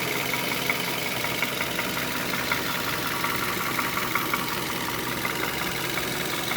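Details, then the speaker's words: 2011 Hyundai Solaris G4FC, 166k mileage, fully warm (coolant about 89–92°C, oil 95°C), at idle: a light tapping knock comes and goes, skipping beats; it fades when revved and the source is unknown. "коробка на драйве какой-то стук с пропусками то есть не постоянно"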